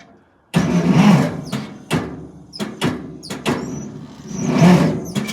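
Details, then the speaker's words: Ferguson TO-30 tractor, just fitted with a new starter: starter catches in short uneven bursts with gaps, never settling into a steady crank, and the engine never fires; won't turn over all the way. "nothing i need help why is this not happening the right way i need i need answers it won't turn over all the way please help"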